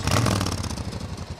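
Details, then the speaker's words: 1994 Suzuki Intruder 1400 V-twin, 12,000 miles, after a ride: deep lumpy rumble blipping and settling, no valve or cam chain noise; normal engine running. "listen to this thing no valve noise no cam chain noise no pissing noise"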